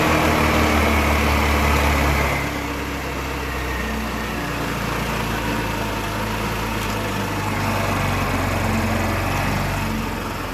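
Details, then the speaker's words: Wolf EX-150 scooter, GY6 157QMJ 150cc four-stroke single, after carburetor priming and adjustment: steady, slightly loud running that settles as idle drops after a few seconds; idling normally after repair. "Now this, my friends, is what I call a day's work well spent. Listen to that idle. So good, man."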